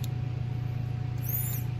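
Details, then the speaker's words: New in-tank electric fuel pump for a Factory Five Mk3 Cobra (same as Foxbody Mustang), bench-tested out of the car on a 9-volt battery: steady low electric hum with a fine, fast, even ripple and no dropouts; the pump works. "I can hear it. So this pump works, so that's good."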